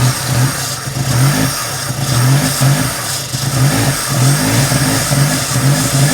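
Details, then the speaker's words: 1987 Daihatsu Charade GTTI 3-cylinder turbo, sat 10 years, fed Easy Start at the throttle: fires and runs in uneven surging bursts, revs rising and sagging about every second; runs only on starting spray, so stale, smelly fuel is suspected. "Well, it runs on that. It lives. Wow. It runs on Easy Start. It does. So we must have a stale fuel."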